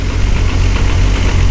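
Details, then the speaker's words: 1999 Nissan Skyline R34 GT-R, T88 big single turbo and modified internals, twin-plate clutch with Getrag gearbox: low chunky rattle under steady idle, pedal out; twin-plate clutch rattle the gearbox is known for, owner unsure how much is normal. "the jet drag gearbox that's in the r34 and the Supra is known to make a junk junk sound when it's got a twin plate clutch in it"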